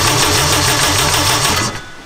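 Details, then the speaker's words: Turbo K20-swapped Toyota MR2 (678bhp), after nine months stored: quick even starter churn of about six pulses a second with no catch, then it stops. Cranks but won't start because the fuel pump isn't running. "but what you didn't hear was a fuel pump running that's why it's not doing anything"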